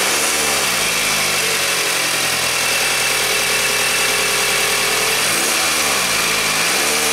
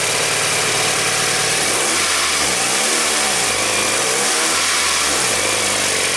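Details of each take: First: 2000 Toyota Camry after new timing belt installed and tensioned; idle rises into a clean smooth rev and settles evenly, no rattle or tick; sounds better. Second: 2000 Toyota Camry with the timing belt cover off, engine revved twice: a light flapping rattle rises and falls with revs. The loose timing belt was the cause of the noise; the belt was replaced and properly tensioned.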